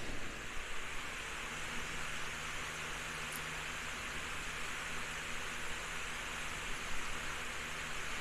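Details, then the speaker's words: Household remote-controlled fan after cleaning blades, gluing a cracked blade with UV resin and re-oiling bearings, running on setting 3 (~70 W): soft steady airflow with faint motor hum, no rattle; still shakes but sounds quieter; normal running. "And it still shakes. But I do think that it sounds quieter."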